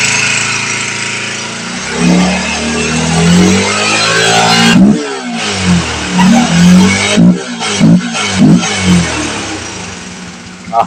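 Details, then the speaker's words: Honda CBR motorcycle after the cam chain tensioner was cleaned and tightened: the engine picks up cleanly through quick throttle blips and settles back with no timing chain rattle; the noise is fixed. "Oke Guys akhirnya berhasil ya teman-teman sea motor bunyinya normal kembali"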